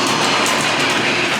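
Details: Old garage door opener before replacement with a new Genie belt-drive unit: loud steady rattling clatter with a harsh grinding edge throughout the run; far too noisy, cause not pinned down.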